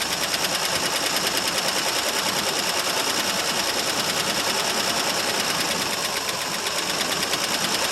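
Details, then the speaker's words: 1968 Mercury Monterey, 390 FE two-barrel, first run after about 20 years sitting, cold; uneven rough running with fast irregular ticking over hissy background, owner suspects a stuck valve or two; water came out of exhaust. "well as you can see folks it does run it actually is it's got a stuck valve or two"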